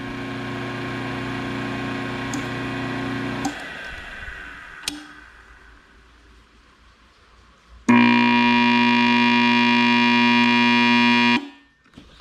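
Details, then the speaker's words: Cut-away single-phase motor that had just started in reverse, now spinning the right way: loud, coarse buzzing hum that cuts out and returns harsher; the sound of a bad starter switch or bad capacitor. "And that's what they sound like when they got a bad starter switch or bad capacitor in them in a singlephase motor."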